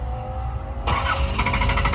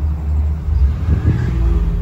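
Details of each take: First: 1986 Nissan 300ZX 3.0 cranks steadily with a sharp jump but won't catch; fuel pump lacks its ground signal from the ECU. Grounding the pump wire manually makes it start and run, and it dies when released. ECU grounds need checking. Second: 1986 Nissan 300ZX 3.0 that would not start, running once a ground signal is supplied to the fuel pump circuit: settles into a steady low rumble and revs cleanly on throttle with no misfire or stumble. Normal idle.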